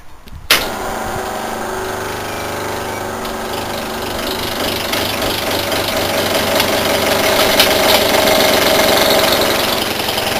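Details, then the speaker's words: Scrapped air-conditioner compressor from a Holden dealer, powered with its thermal overload protector removed and a short in the windings suspected: a loud steady buzzing hum that swells slightly but never spins up. Locked-rotor stall. "right oh it doesn't sound happy it's going to get it worse in a second poor old thing"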